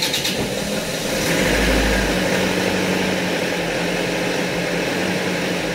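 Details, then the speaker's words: Isuzu Panther diesel after a fuel filter change without a hand primer pump, revved in neutral to draw fuel: catches, surges, then uneven clatter as rpm keeps dropping and it stalls; empty filter, air in fuel system. "Ini sambil berbet, RPM-nya turun terus. Nah mati. Nah ini berarti solarnya sudah habis yang diselang, tapi yang difilter habis."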